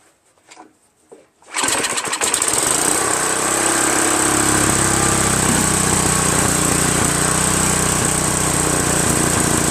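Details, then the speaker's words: Free Craftsman 5.5HP OHV 26-inch snow blower, after carburetor work and rerouting a hose near the throttle: pull start catches, then speed hunts up and down at idle; engine surging, governor barely moving, owner suspects governor adjustment or dirty carburetor needed. "I think I have to adjust the governor. So I've been messing with this carburetor a little bit and the governor. It's still surging a lot."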